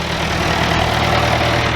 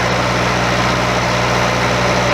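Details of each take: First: Bobcat 825 skid steer after cylinder seal replacement: steady, even low diesel idle with smooth beat, no knocks or misses; runs healthy. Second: Old Bobcat 825 skid steer diesel idling with steady high hydraulic whine rising in pitch; machine wouldn't lift its own bucket, owner suspects a relief valve on the control valve stuck open or going over relief.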